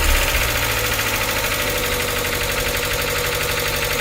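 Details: NA Miata 1.8L first start after cleaning and reinstalling hydraulic lifters: loud fast diesel-like clatter about four ticks a second at idle, lifters not yet pumped up.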